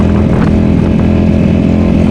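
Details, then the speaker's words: Yamaha V Star 1100 with 700 miles, recently bought, ridden under heavy throttle in second gear: steady V-twin drone with small hesitations, jumping around and falters. Fine at lower rpm; cause not yet determined. "see like i'm i'm full here it's jumping around it's not happy now we're in second"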